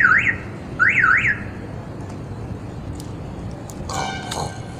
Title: Keyless Entry System making some other sound instead of chirping